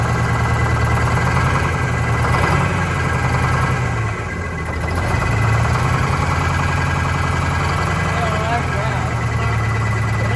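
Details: Vintage diesel bus in cold weather, after fuel line work: lumpy, irregular idle about three pulses a second, misfire; cylinder cut-out points to number 2 cylinder, which changed smoke level; its fuel injector to be replaced.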